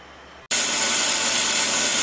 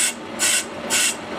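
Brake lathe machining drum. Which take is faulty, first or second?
second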